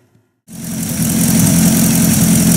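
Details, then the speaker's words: Buick Roadmaster straight-eight warming toward temperature, running mediocre: a steady idle with a hissy, puffing exhaust leak, a sizable leak puffing a little black smoke and the source of the smell noticed while driving. "I noticed that there's a really good sized exhaust leak right about there"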